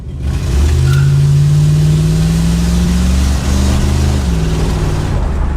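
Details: 1971 Lincoln Continental Mark III revving cleanly after setting initial ignition timing to 10 degrees with a timing light; steady rise and fall in pitch with no misses or knocks, near maximum vacuum.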